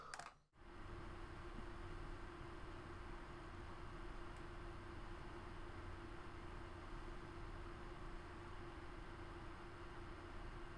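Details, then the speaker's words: Custom Corsair 780T PC with two Gigabyte G1 GTX 970s, HX750i PSU, H100i, six fans, at full load running Crysis 3 ultra 1440p: even airy whoosh, soft hum, no rattles; normal quiet fans. "I'm going to switch back to Crysis 3 now, so you're going to be able to hear it at full load, running at ultra graphics 1440p, both cards, 6 fans in total. You're going to be really surprised how quiet it is."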